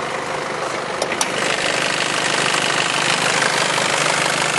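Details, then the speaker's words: Nissan Elgrand direct-injection turbo diesel with good battery, starting first turn of the key: even diesel clatter at a steady idle with no misfire or hunting, just a couple of clicks early on; sounds as it should, no strange noises. "Does sound like a diesel, of course, but it sounds the way it's supposed to sound. No strange noises."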